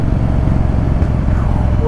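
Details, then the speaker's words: Yamaha Virago 1100 V-twin riding after carburettor float valve and emulsion tube O-ring repair for a dead rear cylinder; steady deep even exhaust beat under about a third throttle, pulling stronger than before, normal running. "was that was a nice ball is definitely going stronger than before"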